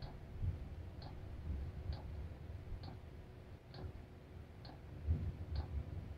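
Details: Cheap Chinese diesel heater at a cabin, restarted after burning about 4.5 L of diesel overnight. Steady sharp fuel-pump ticks a little under one per second over a low rumble as it fires up and the exhaust warms; metering is normal during startup.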